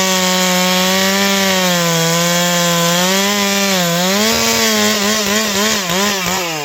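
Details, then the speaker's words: Ported Stihl 461 chainsaw with new Caber rings and repaired spark plug hole, first cuts: steady high scream that sags evenly into the cut and climbs back without stumbling; strong, clean running under load. "Yeah, she spins up really good, really strong."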